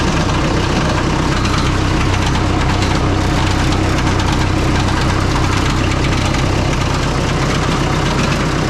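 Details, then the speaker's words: Oliver 66 diesel tractor idling after an oil change to clear fuel-contaminated oil; a steady tick, three or four a second, keeps pace with the engine as a cracked fan blade hits the shroud before breaking right off. "well we lost a fan blade yeah yeah she broke right off"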